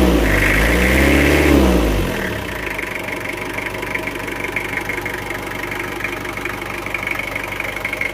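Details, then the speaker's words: Toyota Kijang diesel after an engine rebuild with new AR-brand pistons: a quick rev drops back to an even idle with no ticking or knock. The earlier tick on throttle release and bok-bok from the air filter are gone. Normal. "setelah diganti seker yang merek AR suaranya menjadi halus renyah khas seperti Kijang Diesel khas."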